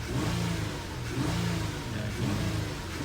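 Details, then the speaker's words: 2009 Nissan Murano after the fix for P0300 random misfire and stalling, which followed a valve cover replacement; a loose ground was tightened. The engine revs up and falls back smoothly with no hesitation or stalling. Running normally. "Jenny doesn't have any hesitation no stalling out and it's running fine now"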